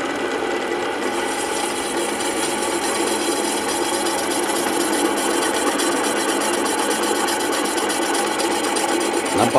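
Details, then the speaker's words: Motorcycle cylinder block bored on a boring machine to about 50.8 mm with cutter lowering slowly; steady, even rasping hiss with no chatter, indicating the cutter is cutting evenly; uneven cuts sound different. "sekali makan pisaunya rata ya kalau memang Maka nanti soalnya tidak rata maka suaranya pun agak berbeda"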